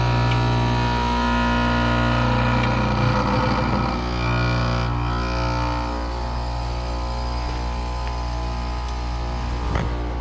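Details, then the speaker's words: HVAC outdoor unit with fan disconnected, cycling in and out of defrost: loud droning hum with a rough uneven pulse from the compressor, whole unit drawing 11.5 amps; worn compressor near failure, needs replacing. "That compressor sounds a little bit rough. Going in and out of defrost okay, but I think the loud noise she's hearing is the compressor."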